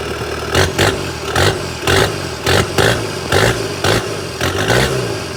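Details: Kubota SVL 75-2 diesel, tuned with DPF/EGR delete, first run after fitting larger SVL 97-2 turbo (about 115-120 hp): steady even idle with some clatter, no misses or knocking, no oil leaks found; sounds healthy, normal diesel idle.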